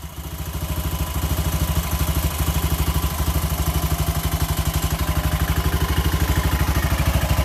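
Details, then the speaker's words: Briggs & Stratton engine, believed 16.5 hp, freshly swapped into a Craftsman LT1000 mower (replacing a 17.5 hp OHV Briggs), old carburetor fitted: single-cylinder thump settles into an even steady idle around three beats per second, no knock; idles healthy, better than the old engine. "Don't sound as bad as the old one either. Ah, it works too."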